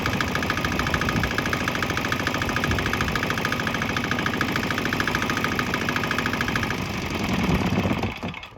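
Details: Swan X 165F Chinese single-cylinder diesel running on straight used canola (fryer) oil after a restart; steady, even, quick firing chug with no misses or stumbles. The engine runs cleanly on the waste vegetable oil.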